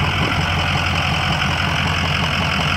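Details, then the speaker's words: 2004 Ford E-450 box truck with a 6.0L diesel and 121,000 miles, hot after running about an hour without overheating: steady, even diesel clatter with no misses, knocks or hunting. Normal idle. "has a 6.0 liter diesel engine sounds good it's been running for about an hour does not overheat"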